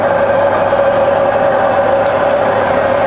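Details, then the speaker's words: Rebuilt Bridgeport mill on 240V single phase, quill power feed reversed: steady even hum with constant mid tone, no knocks or grinding; quill feed runs normally in reverse. "we can reverse that feed rate here see it reverses just fine"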